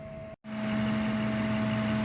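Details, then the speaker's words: Ford F-150 engine idling with a steady airy hum and faint tone on top, like it's sucking air, with vibration felt; mechanic suspects the idle air control (IAC) valve. "pero no hoy eso es como cuando está agarrando aire algo así me suena interesantes vamos a checar muchachos a ver qué onda con este ruido"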